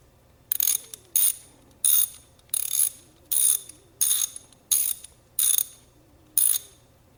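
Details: Socket ratchet before cleaning and greasing, long used with little grease: sharp, harsh, dry clicking in short bursts as the handle swings; pawl mechanism needs cleaning and grease.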